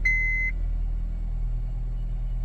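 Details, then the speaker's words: 2007 Honda Civic with cylinder 2 misfire (P0302), just after swapping in a new part: chime then low, even idle with no shake or stumble; much smoother than before. "and it seemed to be a much smoother start oh okay wonderful seems to be much smoother now"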